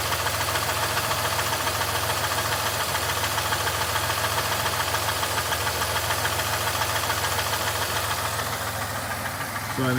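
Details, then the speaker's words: 3100 engine recorded from outside at idle, knock present for years per previous owners, rises with engine speed and disappears above a certain rpm; light regular knock about three per second, owner unsure if knock or lifter tick: engine knock at idle. "the knock does also go with engine speed but once I reach a certain rpm the noise bottoms out and you can't hear it"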